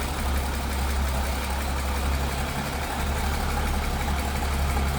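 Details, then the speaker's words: 1953 International L-120 pickup with single carburetor, idling: low, steady, even rumble with no knocks, misses or hunting. Smooth runner, sounds good. "It's a smooth runner. Sounds good. Pretty cool."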